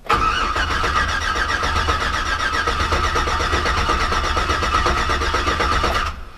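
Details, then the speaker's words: Hummer H3 after installing a 4L65E transmission and Truck Norris cam, cranked with ignition and injection fuses pulled to build oil pressure; even, steady cranking with no grinding or crunching. "Okay. No real crazy crunchy noises. No grindy horrible terrible noises. So I'm happy about that."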